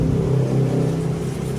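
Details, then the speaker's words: Peugeot 307SW after replacing the holed exhaust pipe and muffler/filter: steady, even low rumble with a smooth rev and no rasping or leaks; exhaust now quiet. "jadi suaranya juga halus sekarang tidak Berisik seperti kemarin sudah oke suaranya"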